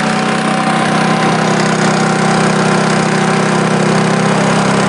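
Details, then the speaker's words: Generator on an RV trip, running for a week, has a hole in the muffler with a little smoke; it gives a steady, slightly high-pitched drone with a raspy exhaust edge and no surging, running a little fast; the owner suspects altitude, since it is tuned for 6,000–7,000 feet. "Once I start it up, it has been running for a week. It's actually running a little fast. It might be because of the altitude."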